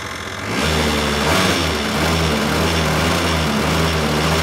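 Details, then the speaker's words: Peugeot CityStar scooter two-stroke with a bigger 70 kit, started cold: it catches and settles into a fast run with a clear tapping knock already audible while cold. "No dobra już słyszymy to już słychać wyraźnie takie stukanie"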